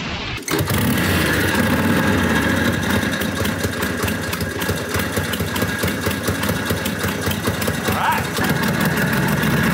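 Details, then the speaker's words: V-twin motorcycle last run around 1992, about 32 years ago, possibly not its original engine, now running; loud, even firing with no knocks or misses, pulling cleanly and fast when opened up, sounding healthy. "man it sounds good when you open it up out there it's fast"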